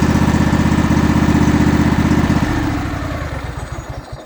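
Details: Kohler 18.5 V-twin on a Craftsman mower, cold start around 20°C after replacing a bad spark plug that left one cylinder dead and ticking: even twin thump at about four pulses a second, no tick or miss; normal running.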